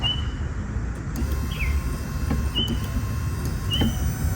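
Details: 1998 Ford Ranger wipers on high after a new motor install; the real fault was a bad relay, swapped for the horn relay: low motor drone under quick squeaky sweeps about every 1.25 s; wipers work normally.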